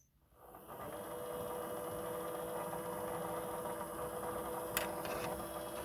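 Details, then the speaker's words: Sony DVP-CX985V DVD/CD changer after new belt replacement: quiet steady carousel motor hum spinning up smoothly with faint even whir and one small click as the laser mechanism pulley turns to check all discs; normal carousel operation. "there's that pulley for the actual laser mechanism so it's going to go ahead and check all the discs"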